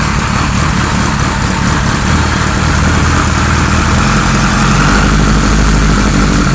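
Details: 1978 Kawasaki Z1-R four-cylinder with replacement carbs fitted (ran well on the other carbs), engine warming: uneven, lumpy, wandering idle with no clean rhythm; can't bring carbs down enough to get vacuum, rough rich poorly synced idle.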